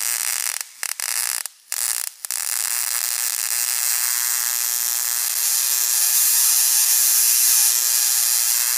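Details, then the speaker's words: Homemade single-2N3055 flyback driver fed about 6.3 V from a 12 V transformer, with UF4007 protection diodes. A steady, sizzling high-pitched arc buzz with brief early dropouts, then even; the transistor stays barely warm. Normal arc. "let's flip this thing on and I'll show you some of the Sparks that this thing can make they're uh pretty impressive spark"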